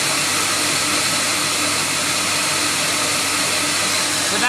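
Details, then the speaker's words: Record Power CamVac CGV286 dust extractor, both motors running with baffle tubes removed, exhausting into workshop; loud harsh steady high-pitched rush, hard on the ears but even; normal running. "we're running the vacuum pump and extracting from the can back straight in the workshop and he's actually quite noisy because the noise is quite hard for the years"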